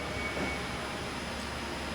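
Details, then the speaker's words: Engine leak-down test at top dead center reading 60%: steady soft air hiss heard through a hose at the dipstick tube, louder than at the rocker cover; blow-by past the piston rings. "listen down there I can hear in it and both of them more prominent in the dipstick cop so what that's telling me is there's air leaking past the piston rings and into the motor"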